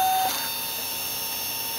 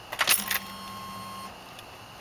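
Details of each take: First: 1995 Ford F-150 at key-on, engine off, after sitting cold: thin, steady high fuel pump whine that keeps going instead of a few-second prime; owner says it is an early sign of a failing EEC-IV computer. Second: 1994 Ford Bronco, same engine as OBS F150, key on without cranking: faint electric hum for about a second then stops; normal short fuel pump prime, pump only restarts on cranking, unlike a failing EEC-IV computer.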